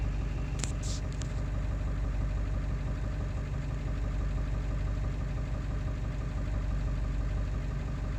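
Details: Ford 7.3 diesel at idle after replacing the ICP sensor: deep diesel clatter with an uneven pulse, still running rough; cause not yet found.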